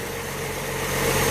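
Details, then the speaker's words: Idle of a Ford Falcon with a suspected 170 cubic inch inline six, on its first start in years after sitting in a field with a mouse nest in the exhaust. Steady, even, smooth idle with no knocks or misses: normal idle. "for only about an hour and a half or so she sounds really nice sit right there an idol"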